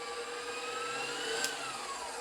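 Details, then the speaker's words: 20-year-old KitchenAid Professional 600/Pro 5 Plus mixer, fully rebuilt with new gears, motor, speed control board and planetary, final test run: even high motor whine at constant pitch, no knocking or gear chatter, faint click near end; normal running. "Now, just for good measures here, we're gonna give her one last test run, still sounding flawless."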